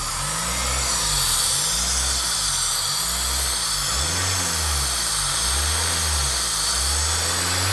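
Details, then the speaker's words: Honda Civic Type R EP3 left parked about a year, started first time; idle won't settle, revs rising and sagging about every 1.5 seconds in a steady surge; forum research points to a sticking idle control valve, cleaned by removing the throttle body. "so we've done a bit of research in a forum and it comes to show that it's the idle control valve with it which is this bit right here"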